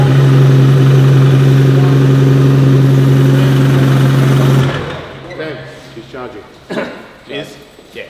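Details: Nissan R32 GT-R, 3.4L RB on MoTeC, on its first start after the build. A firm, even idle with a steady low drone for nearly five seconds before it falls away, charging at 14.9 volts; it sounds healthy.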